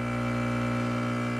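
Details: Profitec Pro 600 espresso machine pulling a shot: an even, low buzzing hum holding a steady pitch. Quieter pump than the Expobar Brewtus IV; it runs smooth and normal.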